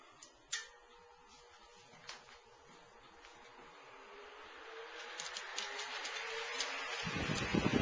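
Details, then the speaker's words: 1956 Signal/King-Seeley Cool Spot 161400 16" oscillating table fan, blades de-wobbled and switch cleaned, on high: strong air rush, light blade noise, faint shaded-pole motor hum, no knocks; running normally. "It's got this, you kind of hear a little bit of blade noise, and you can kind of hear the motor as well. It's just got a little bit of a faint shaded pole hum to it."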